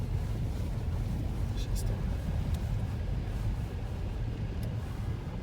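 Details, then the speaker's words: Lada Vesta with 4000 km, driving slowly over rough road after lubricating rear suspension rubber bump stops with silicone grease: low steady road rumble, no squeak; the rear squeak is gone. "Но вот сейчас, в данный момент, как я только их смазал, скрип пропал. То есть это реально помогает."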